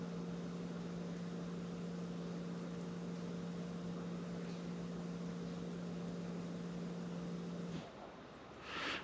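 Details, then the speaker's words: 2015 Jeep Grand Cherokee EcoDiesel, 130,000 miles, key-on after fuel filter change, key cycled repeatedly to prime: steady low electric hum for about eight seconds, then cuts off cleanly; fuel pump priming normally. "hopefully you can hear it run and then you can hear it click and it'll stop you won't hear a noise anymore so we'll do it [Music] again"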